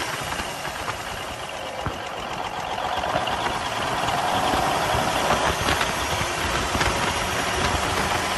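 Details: 1971 Peterbilt 352 diesel idling after water and debris were cleaned from the filter-to-injection-pump line: a rough, stumbling beat with dropped pulses, a miss with a lazy throttle; owner suspects the injection pump.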